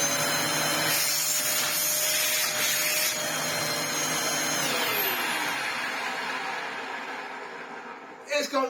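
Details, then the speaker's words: Dyson upright vacuum (DC04/DC07) after restoration, with a new shelf-stored replacement motor fitted because the old one's brushes had fused: high rough motor whine with a rasping edge, then winding down; worn motor bearings, unsellable like this. "knack of bearings and there's nothing I can do about it. Listen to it when it's running. I can't sell the thing like that even for the small pittance I would get for the damn thing."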